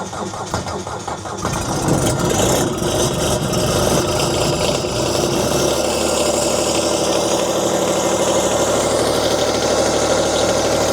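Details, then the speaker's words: Kubota D902 three-cylinder 25 hp diesel on a Wolfe Ridge 35 SHO splitter, outside overnight at 2°, no block heater, throttle just above idle after glow plugs: short crank, catches, settles into steady even idle with light clatter; healthy cold start. "not bad for 2° we got the machine start I did not cheat this machine had been sitting outside overnight um it was 2°"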